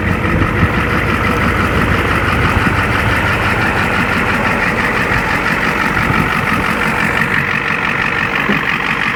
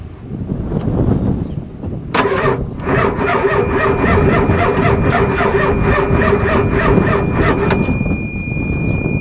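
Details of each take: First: 1-ton 7.3L IDI diesel Ford OBS dually, parked three years after transmission fluid loss, idling up to temperature on first start: steady, even diesel clatter with no stumbling or odd knocks; normal idle. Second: Ford 7.3L IDI diesel 1-ton dually, parked three years, cranked on a jump pack: starter grinds over slowly and unevenly with a thin whine for several seconds, never fires. Jump pack suspected too weak, not confirmed. Slow crank, no start.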